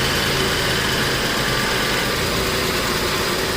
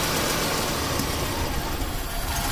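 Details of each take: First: 1989 Buick Reatta 3.8L with stalling, hard start and rough idle after many new parts, just restarted after reconnecting the battery: steady, even idle with smooth hum, no misses or stumbles; sounds better. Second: 1989 Buick Reatta 3.8L with stalling, hard start and rough idle: lumpy idle sags and nearly dies when a little propane is added, yet the oxygen sensor never shows rich; mixture actually rich, false lean reading.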